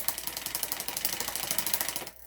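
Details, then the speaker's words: Specialized Hot Rock bike with new cables, housing and shifter and a straightened derailleur hanger: loud, rapid ticking while pedaling on the small cog. The rear derailleur high limit is way too loose and the chain is almost jumping off; tightening pushes the derailleur inward. "sounds loud right sounds loud and like that's not the sound that we want so what's happening right now is it's it's way too loose it's almost it's almost jumping off at this point"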